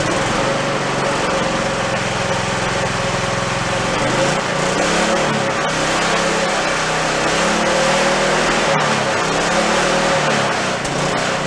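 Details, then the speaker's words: Toro riding mower single-cylinder engine, reassembled after engine failure with half the crankshaft missing, started on choke: raspy uneven running, speed wandering up and down; rough but stayed together. "She sounded a little raspy, but it stayed together. I was surprised. I thought she was just going to grenade fairly quickly."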